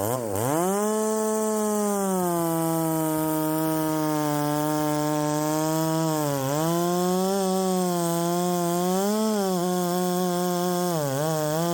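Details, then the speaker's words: Ported Poulan 3750 chainsaw, after the loose exhaust was retightened, tune unchanged: the idle sags and surges every couple of seconds. It is hunting and won't settle, and richening seems to load it up. "I think that that I mean it's not wanting to settle down and then whenever I rich it up to get it to settle down it loads up or at least that's what it seems as though it's doing"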